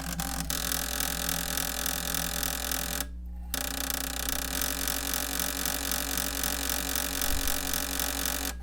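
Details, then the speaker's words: Panasonic AG-DV2500 MiniDV/DVCAM pro VCR, bought used, with a badly damaged tape loading mechanism that won't take an inserted tape: continuous whirring clatter, about four rattles a second, cutting out briefly and resuming. "Okay, so this is how your VCR operates when its loading mechanism is jacked up. So I'm going to turn it on up here, and then attempt to insert the tape, and you can see it just like doesn't take it."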